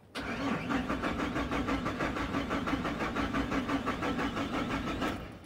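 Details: Chevrolet Silverado/Sierra/Tahoe/Suburban, 1996–2003, 4.3, 5.0 or 5.7 engine: even starter cranking about three beats a second for five seconds, never catching; crank no-start with no spark, ignition module signal lost through faulty wiring.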